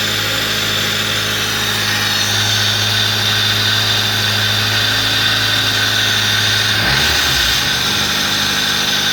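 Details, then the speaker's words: 1998 Fiat Palio, Fiasa engine, running with alternator belt removed and air filter off: even idle with loud intake hiss, brief stumble then settles; normal sound, ruling out camshaft and water pump. "pessoal, ó, pode ver aí que tá com barulho normal, beleza? Tá com esse barulho mais alto porque tá sem o filtro de ar ali, faz esse barulho aí. Aí, ó, já normalizou a lenta."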